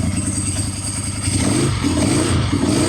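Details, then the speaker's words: Ducati 748 V-twin after jumping ECU pin 22 to pin 5 with ground still connected: now firing on both cylinders, uneven burble picking up revs and filling out, sounds completely different; the fault is not yet fully fixed. "All right. Hey, it worked. Sounds completely different"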